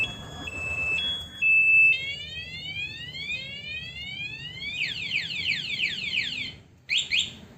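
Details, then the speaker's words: Aftermarket remote alarm on a 2022 Honda Beat: piercing steady beeps, then rapid rising whoops, as the anti-theft siren sounds; the engine cannot be started while the siren is going, even with the original key. "Jadi kalau alarmnya diaktifin seandainya motor ada yang bobol kunci kontaknya meskipun dengan kunci kontak aslinya sekalipun mesin motor tidak akan bisa dinyalakan selama sirine di motor masih berbunyi"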